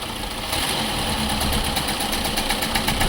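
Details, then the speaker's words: 2006 Chevy Cobalt with codes P0068, P0106 and P0300, idling with the MAP sensor unplugged. It runs uneven and lumpy with a stumbling beat about four times a second, a dead misfire; owner suspects an intermittent wiring harness fault. "now we have like a dead [Music] misfire let's see if we can give it some throttle and get it out of this misfire"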